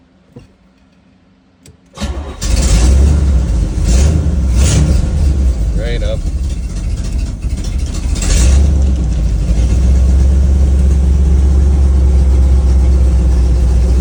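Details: 1976 Corvette Stingray V8 after fuel line replacement, no leaks: cranks and catches at once, then a deep, even, loping rumble that holds steady; normal start-up and idle.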